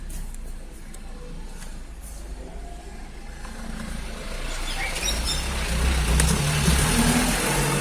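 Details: 2014 VW Polo 1.4 petrol with misfire: idles with a low uneven pulse, then revs up, running slightly rough throughout.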